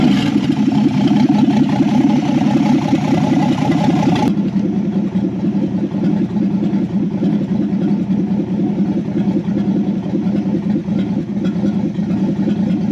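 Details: 1964 Ford Falcon four-door, six-cylinder, 3-speed column, off the road since 1984–85 and barn-stored, first start on jumper wire to coil with unknown-built carburetor: steady even inline-six idle with throttle blips, loud raw exhaust, no knocks or misses; normal running.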